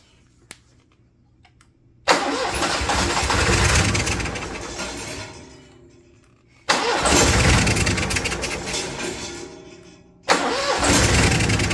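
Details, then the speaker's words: Cummins Onan Marquis Gold 5500-watt RV generator, sitting about 20 years, fuel system primed, cranked off a nearly dead jump pack: two cranking bursts slow and die without catching; owner believes blinking code is low voltage. "So it's blinking a code for us. I believe that's a low voltage code. My jump pack's almost dead, so I'm gonna go ahead and charge that, and maybe charge one of these batteries, and we'll give it another shot."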